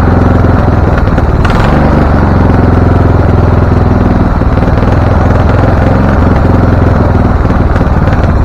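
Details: Husqvarna LTH 1438 riding mower (engine cover says 13.5), choke open, first start: loud, uneven chug with irregular popping and clatter, runs rough and backfires; shop suspected loose cam gear altering timing, not confirmed.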